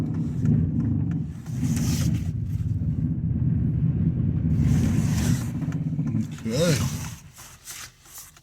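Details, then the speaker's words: 5.3 V8 running after a VATS delete. Steady low burble with an even firing beat and no knocks or misses; smooth normal idle. "you might not even be able to hear it fire Smooth Up sound sound good sound good"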